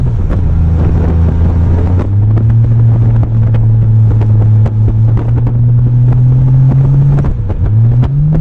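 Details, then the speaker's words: 1998 Honda Goldwing GL1500 SE on a test ride after a new clutch master cylinder and a check ball added at the pushrod. A steady engine drone climbs twice as revs flare under load without matching pull, with wind noise. The clutch is slipping. "okay so as you might have heard me in the video when I did that last test run the clutch started slipping"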